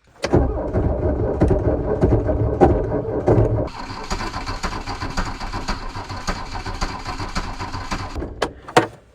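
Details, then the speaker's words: VW Rabbit at about minus 30, plugged in beforehand: slow, labored cranking around ninety turns a minute that never catches and fades; weak battery suspected, fresh battery swapped in next. "think I need another battery. Here's a fresh battery."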